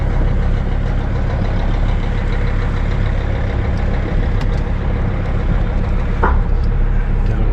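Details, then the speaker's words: 2006 Sprinter diesel driving after rusty downpipe was welded up: deep even diesel drone, low muffled exhaust, no blowing or ticking leak; sealed and quiet, probably quieter than before the repair. "oh yeah that's plenty quiet sound it's actually probably quieter than when i drove it home"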